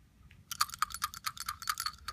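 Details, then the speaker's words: AntiSplat Aero vacuum valve from an aircraft engine crankcase breather system, 165 hours in service, shaken by hand: bright metallic rattles in quick clusters; loose internal pieces because the main retaining rivet failed. "can hear there's pieces floating around inside here the main rivet that holds us together has failed it allowed it pieces to metal on both sides of this"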